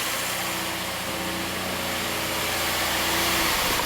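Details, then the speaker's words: Subaru flat-four, six-speed manual, first start after exhaust valve repair and timing cover reinstall: steady even idle hum, no misses, roughness monitor reading zero; idling smoothly, some initial smoke, possible heat shield rattle. "you run smooth so on our roughness monitor all the readings are zero it's idling very nicely"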